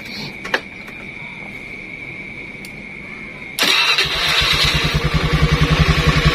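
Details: Honda Scoopy carburetor scooter after rewiring the starter circuit direct to battery bypassing the CDI (previously only clicked like a weak battery): starter spins briskly with fast even chug about 3.5 beats a second; normal cranking.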